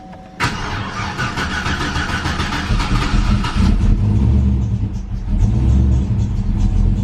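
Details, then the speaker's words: Turbo 5.3 V8 Chevy Colorado race truck (1000+ hp) after a one-day rebuild, cold start, temperamental when cold: engine catches into a lumpy, loud idle with a faint squeal over it; accessory belt squeal on cold start. "Damn race truck. You can hear that belt."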